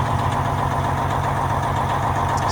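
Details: Semi truck diesel, fired up after shop work with fuses put back in, idles steady and even with a smooth low rumble and no knocks or misses; it is running normally and going back to work.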